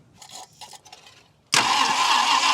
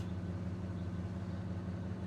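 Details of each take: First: 1966 Ford Country Sedan V8 after an engine overhaul, carburetor bowls filled with fuel: the starter spins it over at about three even beats a second but it never catches. They suspected low 12-volt supply or timing; the distributor was found 180 degrees out. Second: 1966 Ford Country Sedan V8 on first start after an engine overhaul, still cold: a low, steady, even burble with a deep exhaust note and no skips or ticks, idling well.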